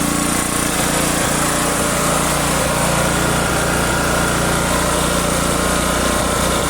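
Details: Neglected generator stored about a year, running with choke on: small single-cylinder holding a steady, even, rapid putter with no misses or knocks; runs only on choke, carburetor needs cleaning.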